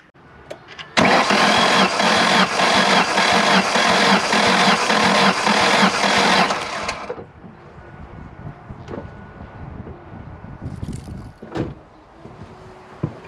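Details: Ford with 146,000 miles, likely low on fuel, ripped vacuum line, cranking sounded odd to owner: six seconds of steady, even cranking chuffs; compression test later showed cylinder 1 at 180 psi, another at about 100.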